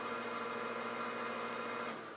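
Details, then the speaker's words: Newly bought lathe, lubricated, run at 270 rpm counterclockwise after the contactor pulls in; smooth steady hum with even tones, no knocks or grinding, then winding down; normal spindle run. "so now all we need to do is fire up our lever to turn the lathe on and away we go 270 rpm in the counterclockwise direction"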